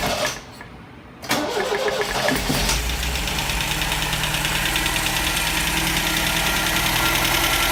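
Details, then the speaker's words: 1974 MGB GT first start in over 17 years, after carburetor rebuild, ignition change and distributor work, with no cooling system fitted: cranks, catches after about a second, then runs with an uneven, lumpy beat; running rough, cause not pinned down. "She's not running right, but she's running."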